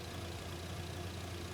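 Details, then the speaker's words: Lexus GX470 idles quietly and evenly with no stumbling after its failed alternator was replaced with a brand-new one; it holds voltage even with the negative battery terminal removed. Normal idle. "still sitting here idling sounds like it's running it sounds like normal"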